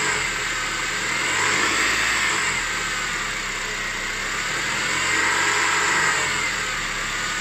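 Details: 2006 Honda CR-V K20A4 petrol engine at low speed, noise most pronounced at 1500 rpm: faint whirring whine with rough rhythmic hum about four times a second; fixed by repairing alternator and power steering pump and replacing water pump.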